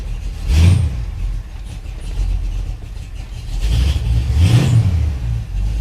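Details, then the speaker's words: 1978 Ford F100 Ranger XLT, 351W V8, 2WD, AOD automatic, Cherry Bomb glasspacks, owner suspects an aftermarket cam: cold start, deep rumble with two sharp throttle blips through loud barely muffled pipes, steady idle between; healthy. "that's a cold start"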